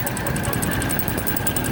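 Quick, even metallic ticking over a steady idle, roughly eight a second, points to a knock inside the engine. Cause suspected, not confirmed.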